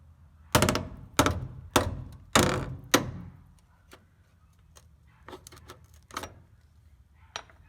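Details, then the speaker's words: 1985 Toyota 4WD pickup, Ohio road-salt truck, frame hammer test under the passenger side of the cab: five dull, dead hammer blows with no ring, then lighter taps. Frame rail is hollow and rust-thinned inside. "under the passenger side of the cab that doesn't even sound right it sounds hollow"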